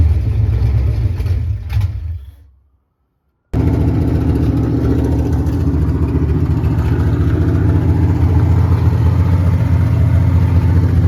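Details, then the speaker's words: 1989 Ford Mustang GT Fox body V8 (cammed build) barely running after idle screw adjustment, still reading 5 volts at the throttle position sensor: loud, uneven lumpy idle near three beats per second, a brief cut-out, then rough running. "Alright, so we got the car to run for like a solid minute. It runs. You know, we play with the idle screw. Still getting 5 volts at the TPS, I'm not really sure."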